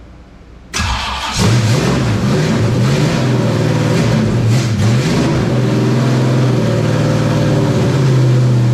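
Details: Terry Labonte Oldsmobile NASCAR V8 after replacing bad spark plugs (cracked porcelain, near-zero gap) and bad wires: short crank, then catches and runs strong with steady throb and rising revs; normal running.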